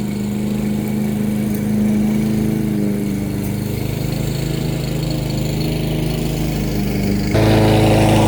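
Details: Brand-new push mower small single-cylinder engine after plastic carburetor rebuild, plug gapped at .030 in, oil checked, auto thermal choke: smooth steady hum picking up a little under mowing load; running cleanly.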